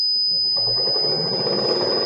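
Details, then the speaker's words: Motor on a frequency inverter set via the HMI with 5 Hz minimum frequency and parameter P2-10 at zero: steady high-pitched whine over a soft hum as the motor holds minimum speed instead of stopping, running normally. "se eu deixar assim zero como tava vou mostrar como é que ele vai reagir ele não vai desligar ele vai se manter na frequência mínima"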